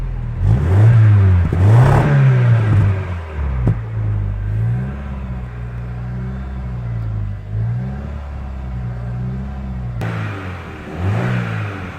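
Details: Rover 75 after fixing a misfire by regapping the spark plugs to 0.50 mm instead of 1 mm: engine pulls up through the revs and settles evenly, no stumble or missed beats; runs smoothly.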